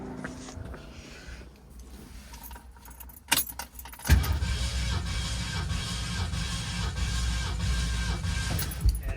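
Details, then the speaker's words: 1969 Mercury Cougar XR7 convertible compression test, throttle held open, cylinder 3: after key rattle the starter cranks at a steady, even beat of about three a second; reads about 181-184 psi, good compression. "What do we got? 181. Really? 184. Wow. Yeah, about 181."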